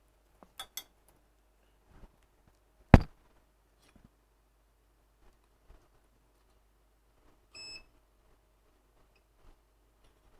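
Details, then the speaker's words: Digimark subwoofer that powers on with no sound, TDA7379 class AB amplifier IC suspected. On a quiet bench, probe clicks are followed by one short, high meter beep: the output capacitor reads a short, indicating a faulty sound IC. "you see this capacitor on the output is reading a short why because of one good reason we have a fult sound I see"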